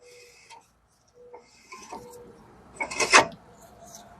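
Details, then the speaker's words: Jeep Wrangler 4x4 that would barely move in drive or reverse, rear raised, rear rotor turned by hand: faint rubbing then a harsh metallic scrape and catch; something fell apart inside jamming it, suspected collapsed emergency brake shoes. "something in here fell apart and it's jamming and that's why it wouldn't go so most likely emergency brake shoes probably collapse in there"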